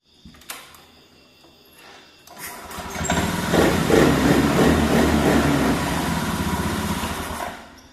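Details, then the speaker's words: Honda Scoopy scooter with lost ignition, first wrongly diagnosed as needing a new ECU but found to be a simple fault: after repair the starter whirrs, the engine catches and settles into a smooth, even idle before shutting off; normal start and idle. "akhirnya hidup juga ini motor Scoopy jadi saya gak perlu mengganti Ecu yang harganya r,2 juta ya"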